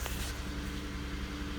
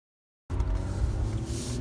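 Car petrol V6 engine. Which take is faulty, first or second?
first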